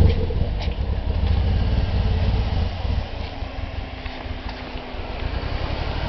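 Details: 1991 Nissan 240SX (S13) with RB20DET turbo swap; lumpy, uneven idle with irregular stumbles and dips in exhaust beat while revving, sounds like a bad misfire, cause unconfirmed.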